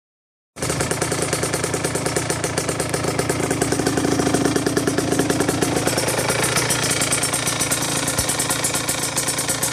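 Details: 2009 Aprilia RS125 two-stroke motorcycle idling unevenly with a dense, rapid knocking running through the engine note; rough idle with knocking, gearbox issue also noted.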